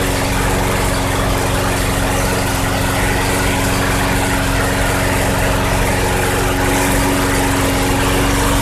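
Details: 2006 Craftsman 917.376160 push mower, tank nearly bone dry, running after carb cleaner was sprayed in: the single-cylinder engine holds a steady, even speed with no misses, surging or knocks, so it runs healthy.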